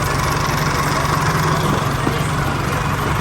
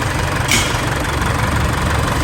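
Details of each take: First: Isuzu 4JK1 diesel rebuilt after stuck and dead piston rings, freshly refilled with oil and coolant: steady, even idle with a smooth low thrum and no knocks or ticks; very quiet and healthy. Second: Isuzu 4JK1 diesel with dead, stuck piston rings, due for a rebuild: heavy, uneven idle with a deep knocking underneath as the pistons knock.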